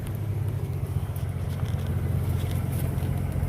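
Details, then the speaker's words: Car idling after its water pump blew on a trip, hydraulic fan removed: deep, steady, even idle rumble with no knocks, ticks or squeals; temperature staying cool, running smooth. "everything's still cool you know nothing's over eating good but uh yeah that was just a brief update everything still running smooth and good"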